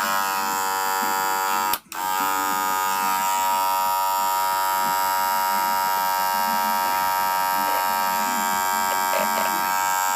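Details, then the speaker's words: Wahl Senior clipper: harsh, steady buzz with a rattly edge and one brief dropout; abnormal noise, owner suspects a worn blade needing replacement. "é normal esse barulho Russo Braga não é normal isto deve ser a lámina precisa ser mudada esta lámina já está com algum desgaste"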